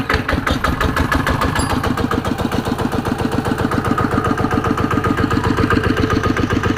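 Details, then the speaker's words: ET110 single-cylinder diesel after rebuild with reground crankshaft, fresh oil; steady even thump at normal running speed, no knocks or misses, white smoke on acceleration now gone: normal running. "อนี้รอบปกติครับเคครับอ่าปกติดีฮะ"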